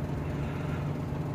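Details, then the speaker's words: Suzuki Mehran (2014–16 model) petrol engine idling low, uneven and lumpy, missing and hunting, after cold-weather overnight standing with long cranking before start; misfire from a bad fuel injector. "आगे मैं आपको engine की situation check करवाता हूं engine जो है ना वो काफी व्यवहार रेट हो रहा है और मिसिंग ए रहा है"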